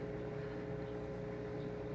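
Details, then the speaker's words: XpertMatic DB-366 aquarium air pump running two air stones in a 150-gallon tank, valve turned all the way up for full airflow; steady even hum with constant low buzz of vibration, no rattle, normal operation. "i imagine some of you probably use it all the way up it's a good airflow and what you hear that's the vibration that you'll hear"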